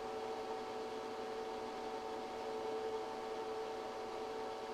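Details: ChocoVision Revolation 2B chocolate tempering machine, 0.68 kg capacity, heating chocolate toward a 108°F melt point over roughly 20 minutes: steady even hum with fixed mid tone and soft airy hiss, no knocks or rattles; running normally.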